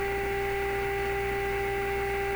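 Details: Clairtone console stereo radio during AM band alignment, slug advanced fully in: steady low hum under two clear whistling tones with hiss; a misaligned IF stage may be to blame, but the cause is uncertain.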